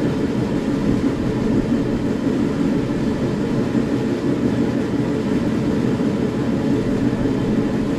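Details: SIPMA roller grain crusher after a DIY repair welding short bead pieces onto a roller, with the gap adjusted: constant, even milling roar as corn feeds through, no knocking or surging. It runs fast with rollers perhaps slightly too tight; corn comes out nicely broken.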